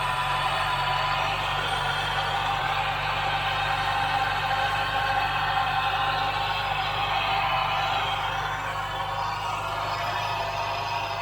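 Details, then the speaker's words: 2009 Ford Mustang, engine running, faint steady whine that doesn't change pitch; owner suspects the power steering pump, but nothing is heard in the steering; possibly a belt-driven accessory bearing, unconfirmed. "It almost sounds like a power sharing pump."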